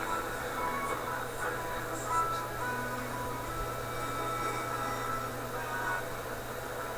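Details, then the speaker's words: Electrohome TR-50 console stereo at first power-up, AM/FM radio playing: clean steady music with no crackle, fading or hum; the radio works normally. "probably sure it sounds like it's working"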